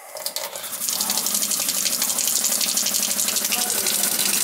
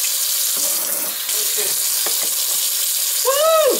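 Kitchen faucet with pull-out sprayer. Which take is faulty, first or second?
first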